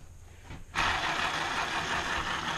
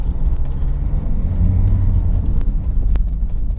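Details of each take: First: Land Rover Freelander 1 propshaft removed, bearing spun by hand: a dry, gritty rasp holding steady as it spins; this propshaft support bearing is shot and needs replacing, unlike the quiet other one. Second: Land Rover Freelander 1 driven with propshaft removed over noisy, groaning prop bearings: steady low road rumble pulling away, no groan, whine or bearing growl with speed; normal driving, no drivetrain noise.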